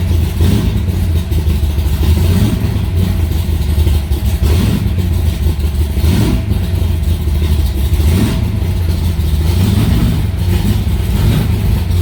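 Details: Aluminium-bodied Cobra V8, first start after two months sitting, in a garage: fired right up; deep, even rumble swells with a few throttle blips and holds without misses or knocks; running healthy.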